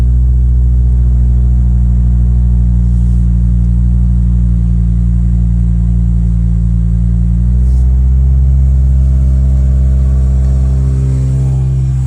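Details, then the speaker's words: Acura RSX K24A2 after new thermostat, knock sensor, throttle body adapter and cleaned IACV and throttle body: clean note stepping up in pitch as revs climb under load, no misfire or rattle; healthy. "uh VTech sounds strong though"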